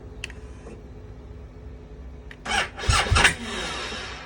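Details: 2020 BMW GS Adventure, stock battery, firmware updated, dealer found no codes, about 24-30°F in January: a few short starter bursts, engine never catches; owner suspects a bad switch; hard start.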